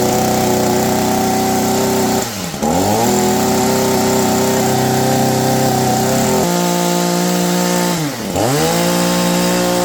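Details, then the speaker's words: Shindaiwa SH262 hedge trimmer after de-carboning exhaust port and screen, previously not reaching peak RPM: high even two-stroke scream at full throttle, dipping as throttle is released and snapping back cleanly; runs properly. "man she runs like a new machine guys"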